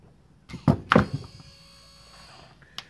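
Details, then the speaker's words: XC Fairmont GXL driver's power window motor with new rollers, bench-tested after a couple of handling thunks; faint steady hum for about a second with no grinding, motor healthy and quiet. "That's perfect. Can't fault that at all. It's lovely and quiet."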